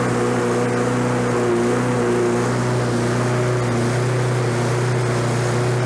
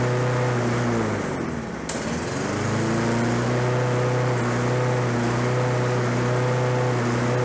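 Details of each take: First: Lawn-Boy 21-inch self-propelled mower, oil low, with self-propel being checked. A steady, high, racing drone with no load: over-revving with the governor set too high. The fix was bending the governor arm to lower rpm. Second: Roadside Lawn-Boy 21-inch self-propelled walk-behind mower, fresh gas, low oil, little compression felt: the single-cylinder engine catches on the pull and settles into a steady, even drone with no misses. Normal running.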